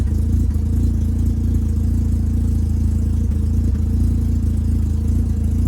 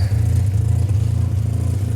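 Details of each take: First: 1985 Mazda RX7 GSL rotary after installing Racing Beat exhaust: steady, low, even exhaust rumble at idle, noticeably quieter than the old system, no knocks or rattles; a small leak remains between pre-silencer and connecting pipe. Normal idle. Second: 1985 Mazda RX-7 GSL after installing a new Racing Beat exhaust, idling: deep choppy rotary idle with a raw puffing edge from a hole between the pre-silencer and connecting pipe; exhaust leak at pipe joint.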